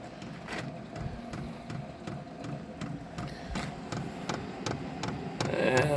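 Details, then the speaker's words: Vevor air heater, first start-up, running off a battery, exhaust muffler not yet fitted: steady light ticking a few times a second over soft fan rush as it tries to light, fuel smell present; dosing pump pulsing normally. "I can smell a little bit of fuel now so it's trying to ignite I'm just running on a battery"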